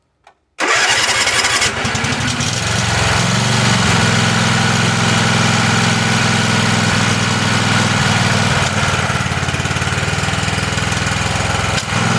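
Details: Tecumseh engine on a Weed Eater garden tractor, after oil change and oiling cylinders, first run on its own gas with primed lines: brief crank catches at once, then steady even single-cylinder chug; normal start and idle.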